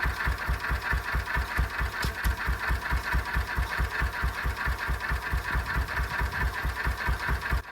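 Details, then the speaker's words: 1926/7 National 5V petrol/paraffin single-cylinder engine after new piston rings and a magneto rebuild, running on petrol without load: slow, steady thump about two beats a second, even and clean with no misses; normal idle. "This is running on petrol here without a load, and as you can see it's running pretty cleanly."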